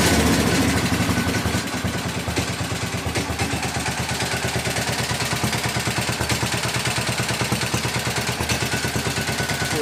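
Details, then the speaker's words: 1961 International Harvester Cub Cadet Model 70 with 7hp Kohler single-cylinder, restarted at half throttle after running: quick tinny rattle about three beats a second over steady idle thump; owner says tank/sheet metal rattling, not engine. "But she runs good. It's not the engine rattling. It's like the tank and shit."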